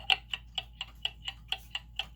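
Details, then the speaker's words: German time/strike pendulum clock after adjusting the pendulum crutch: a crisp tick-tock at about four beats a second, evenly spaced with no limp, so the movement is in beat. "okay so that's a good start right you hear how that's even"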